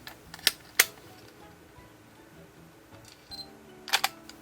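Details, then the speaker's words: Nikon D90 DSLR: pressing the shutter gives an error, sharp clicks and a "woo woo" motor whir with no shutter release, mirror stuck up; the shutter-unit aperture motor gear has an age crack, fixed by gear replacement. "When I press the shutter button, an error message appears You can hear something It's a "woo woo" sound, like a motor turning"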